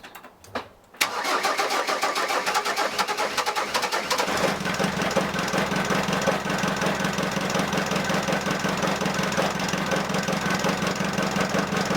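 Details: Ford Transit 2.5DI diesel after inlet manifold carbon cleaning, EGR blanked, catch can fitted and high-pressure fuel lines bled. Brief cranking, then a steady idle with even diesel clatter; healthy start-up.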